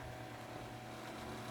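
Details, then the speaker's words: Galaxy (Lasko) 9-inch oscillating desk fan model 2154, 1990s, on high: steady low hum with a busy, buzzy rattle over the top; owner suspects a loose cage, not confirmed. "and of course the cage is rattling a little bit I think that's what that noise is either the cage or the that's something not supposed to be making that noise"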